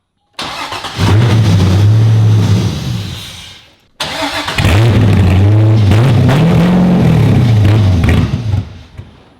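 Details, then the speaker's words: Flood-damaged 2015 Corvette Z06, 7.0 LS7, cold start after sitting 7 years with cut sensor wires: starter whirs, engine catches and revs briefly then dies, twice; starts then stalls, possible fuel issue suspected. "Oh. Houston, we have ignition. So it started up just a little bit. It did go down again, maybe some fuel issues again, but gotta keep trying."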